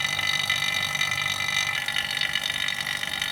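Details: Vacuum pump evacuating a Polytron refrigerator after repairing a puncture leak, early in evacuation before recharge; steady drone with bubbly gurgling chatter on top as it pulls the system down; normal vacuum pump gurgle.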